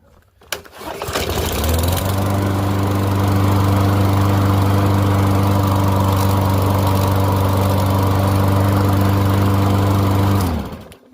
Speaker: I just had it running anyway. It's not warmed up all the way here, so